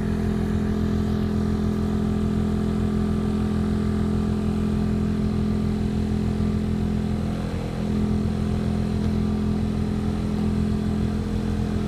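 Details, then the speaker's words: 2003 VW Polo 9N heater blower motor, loud at speeds 2–4 with dashboard vibration, after removal and cleaning: steady low drone with faint rough edge; still noisy, lessening over days of driving, worst on third speed. "the noise is still there but actually after driving it a few days it became less and less each day the most noise I have now is on the third speed"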